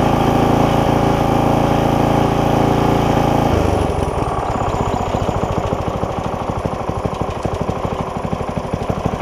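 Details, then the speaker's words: Barn-find tiller small single-cylinder engine, first start after freeing a frozen throttle, pre-filter removed, oil full: loud drone dropping to an even slow idle chug; normal idle. "even idles. Wow. I will let it sit here and run a little bit."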